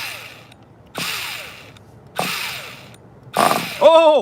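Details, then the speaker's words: 2002 vintage Tamiya Terra Crusher 1/8 nitro monster truck with 2-speed, starting in very cold conditions, gives short whirring bursts that spin up and die with a falling whine. The engine barely turns because the starter's one-way bearing is slipping. "so we have one-way bearing problems we got the fact that it's super cold we got tons of problems come on terror crusher don't piss me off well when the one-way bearing is slipping you pretty much got nothing"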